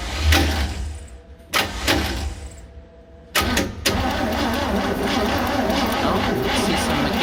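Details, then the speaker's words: 1966 Chevy G10 van with the distributor cap back on and a new spark plug grounded on the block for a spark test: short, sluggish cranking bursts with pauses, not spinning fast enough; weak battery needs charging and starter acting up. "So it doesn't seem to be spinning fast enough, so I gotta let this battery charge up a little bit."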